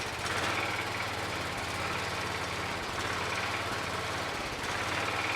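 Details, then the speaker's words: John Deere 214 lawn tractor after moving a wire and sanding points: small single-cylinder engine catches and settles into steady even putter with rattly background clatter; normal running. "sounds like she's running"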